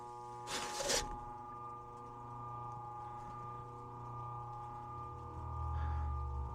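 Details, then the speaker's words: Ancient heat pump air handler, outdoor unit running but no airflow in heat or cooling: steady low electrical hum with no rising whoosh of air; blower motor stalled due to failed capacitor, spins when tapped. "so we can hear either a Transformer or a relay [Music] sounds like it's the motor not hot to the"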